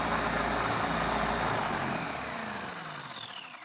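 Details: Traxxas Bandit RC car in full-on 100% ESC mode after cleaning and adjusting: loud, high electric whine at full throttle drifting down in pitch as it coasts off; smooth and even, motor running fine.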